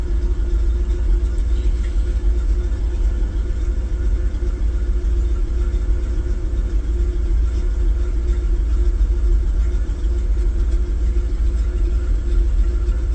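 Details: Engine idling roughly from a cold start after a distributor replacement: uneven, lumpy, hunting idle with misfire. Desired idle reads 575 rpm and seems low. It runs harder as it warms toward 160°; owner plans to check for vacuum leaks with choke cleaner.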